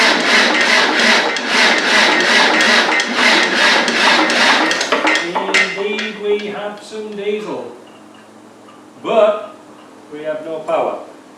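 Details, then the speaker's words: Land Rover 300Tdi diesel, rebuilt, cranking to get diesel to the injector pipes: steady, laboured churn about two beats a second, never fires; suspected weak cranking from a small new battery, not confirmed. "Now, when I turn the key, we should be able to get diesel coming out of these pipes. But I don't know if we've got enough cranking power."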